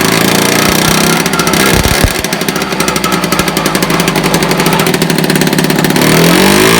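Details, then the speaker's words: 1976 Puch Maxi two-stroke moped under restoration, run in a shed with choke on and baffled exhaust: crisp, rapid popping at a steady fast rate that holds even after a quick blip, with no stumbling; running healthy. "give it a choke as you can see it's running quite well now the back wind is baffled see it"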